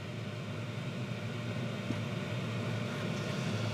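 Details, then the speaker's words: Chinese diesel heater in greenhouse, working after two replacement fuel pumps: quiet steady low hum from burner and fan, no surging or misfiring, no exhaust smoke, hot air output; running normally. "you know absolutely no smoke but it's running it's putting out hot air that was the whole point of this"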